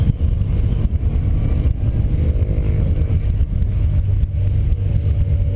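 Deep, uneven engine drone while revving with occasional stumbles in the beat, an engine that is misfiring.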